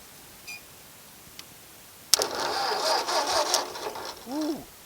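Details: Ford 641 tractor that sat over ten years with its clutch disc stuck, starter bumped in gear with the clutch engaged: a short, smooth two-second crank with no clunk or lurch. The tractor didn't move, so the clutch disc has broken free.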